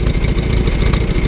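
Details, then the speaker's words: Newly bought old tractor idling just after starting on choke, with a steady even chuff, a little smoke at start and no weird noises or knocks. The charging gauge shows discharging 10 amps. "no weird noises coming out of the engine"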